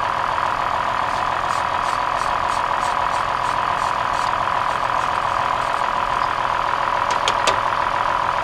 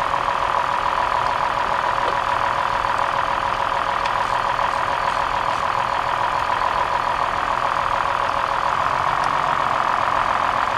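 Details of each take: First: 2003 Toyota Highlander idling with flashing check engine light: uneven stumble about three or four beats a second as one cylinder drops out, found by unplugging coils one at a time; failed ignition coil, engine smooths after replacement. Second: 2003 Toyota Highlander petrol V6 after replacing a bad ignition coil: it idles smoothly and evenly with a steady mid-pitched hum. The earlier trembling and misfire with a blinking check engine light are gone.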